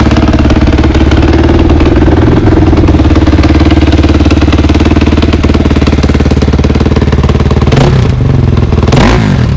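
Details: 2003 KTM 450 after sitting six months, carb drained and fresh gas: loud steady single-cylinder thump at fast warm-up idle, even and unbroken, with quick blips; runs healthy.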